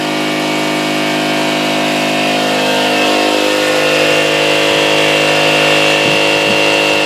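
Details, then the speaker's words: Rebuilt air compressor driven by a small overhead-valve engine with lash newly set, tank at about 90 psi and filling: steady, even pump drone with constant pitch, no knocks or rattles; normal pumping. "plummet and turned it on well it's airing up it's uh about 90 right now and and uh as soon as it airs up and cuts off I'll let a little air out make sure it cuts back on"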